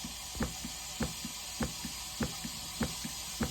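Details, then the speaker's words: Uni-dose chlorinator diaphragm pump turned all the way down: soft, even double knock about 100 times a minute, like a tiny faint heartbeat; the diaphragm stroking normally at low dose. "sounds like a tiny little heartbeat"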